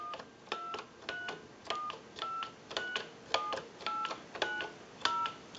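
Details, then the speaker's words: Repaired and converted British desk telephone on final checkout, keypad dialing walked through while an analyzer shows the digits: eleven clean, crisp two-note DTMF beeps in an even sequence. Normal dialing tones. "We'll walk through our numbers. If you watch the analyzer, you'll watch the numbers roll"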